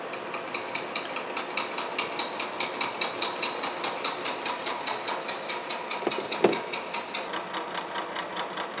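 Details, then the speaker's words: Horizontal milling machine side milling bronze bearing castings, 0.100 in per pass: even sharp ticking about 2.5 per second over a high steady ring, like the cutter hitting hard on one tooth, yet leaving a nice finish. "cutter really sounds like it's hitting hard on one tooth but I'm getting a really nice finish so I'm not going to worry about it"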